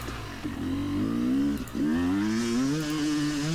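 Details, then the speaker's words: Yamaha YZ250X two-stroke climbing a hill: revs run clean on top, then stumble and go flat with an abrupt change dropping into the mid-range, the power valve slipping from its held-up state; sticky power valve, later fixed. "all right sounding really good trying to come down to the mid-range and then an abrupt grossness and then that abrupt change is really the signature that's the power valve slipping off of its uh held up state if you will"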